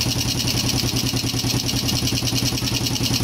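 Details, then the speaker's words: Yamaha Jupiter Z1/Z Robot after an engine teardown and rebuild to cure a rough engine sound. It idles with a quick, steady single-cylinder putter and open intake hiss, the air filter hose not yet refitted. Fairly good but not 100%: normal idle. "menurut saya pribadi ya ini sudah lumayan Meskipun tidak 100% ya E di bagian e selang filter udara ini belum kita pasang ya jadi masih ada suara berisik ya"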